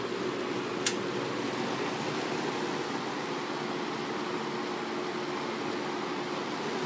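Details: May 1985 Kmart 20" box fan model K-223 with McMillan motor, on high speed; smooth steady rush of air with faint even hum, no rattle or wobble; running well.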